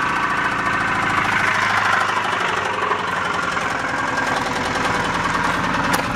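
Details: 1992 Subaru idling after knock began on drive home, engine ran very low on oil, 1.5 quarts added still not on dipstick, no smoke: fast steady ticking knock over idle; owner suspects bent pushrod, cause unconfirmed.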